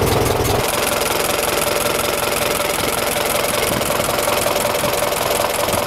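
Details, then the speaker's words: 1926 Ford Model TT ton truck, just started with a little choke, idling on magneto instead of battery: fast, even buzzing clicks from the trembler coils, louder on the magneto's AC current, with no misses; a healthy idle. "I will switch her from Battery to Magneto and you'll hear the coils sound different they click louder the coils operate differently on the Magneto cuz it produces AC current"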